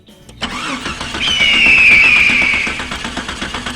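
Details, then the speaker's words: The starter spins the engine quickly and evenly with chuffs and a whine for several seconds, but it never fires; crank, no start. The starting system works, so the fault lies in fuel or ignition. "Okay, boss, I start the vehicle. It's still good. It still have no go-go."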